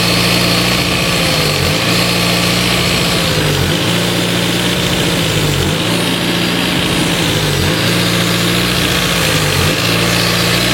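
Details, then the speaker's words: Renault Twingo, idle air actuator (new) on throttle body: steady raised idle with faint surge every two seconds; air passing through idle bypass hole because new actuator won't close properly, no intake leak found. "c'est bien là par le trou du ralenti qu' a le l'air qui passe c'est mon nouveau actuateur qui arrive pas à fermer correctement"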